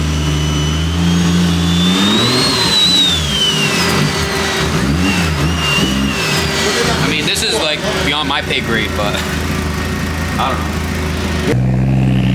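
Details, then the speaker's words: Scratch-built 1JZ-GTE swapped into a Nissan 350z on first start-up: picks up cleanly through a couple of revs, then settles to a steady even idle on its own; ran good. "yo it ran and idle bro ran good by itself ran good"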